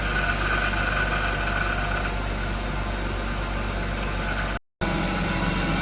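Steady, even idle hum with a smooth low rumble and no stumble or skipping; the six-cylinder sounds like it is running cleanly.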